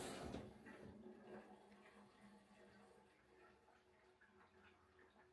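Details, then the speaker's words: GE front-load washer filling with cold water after water inlet valve replacement: soft, smooth, quiet hiss with no screaming or whistle, which the old valve made during cold fill. "This time when it dispenses, it's very quiet and it runs very smoothly."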